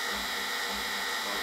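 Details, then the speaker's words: Brush-type washing machine motor after speed-encoder fix (new bearing, aluminium piece, stainless non-magnetic bolt for the loose magnet ring): even, steady high whir with constant pitch, no clicking or scraping; running normally at proper speed steps. "All good. All back together. I know it's a bit dark here, but it's doing the proper speed steps."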